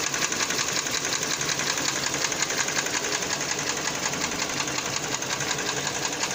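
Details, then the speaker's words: 2014 Kia Cerato 2.0 L, 87,000 mileage: steady rapid light ticking, roughly three per second, over the idle; a knock from inside the engine, source not yet found. "Kia Cerato 2 літра. Вот так стучить движок."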